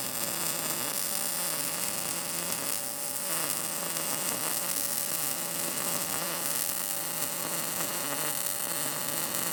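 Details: Arccaptain MIG200 inverter MIG welder at 19 V, synergic mode setting amperage and wire speed automatically, drag technique; steady, even crackling sizzle with no popping or gaps; result judged not bad.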